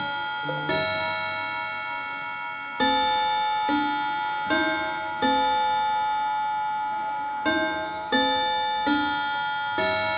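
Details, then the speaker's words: Antique Davison Bros London chiming clock just switched from silent to chime: bell notes come at uneven gaps in a jumbled order. The mechanism is catching up and will correct itself; chime is out of sequence. "so you notice that it sounds completely wrong and it's not it's just basically trying to catch up with the system"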